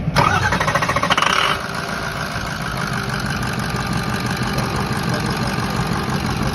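Short crank, the engine catches and settles into a steady, even diesel idle with no misses or knocks, running normally.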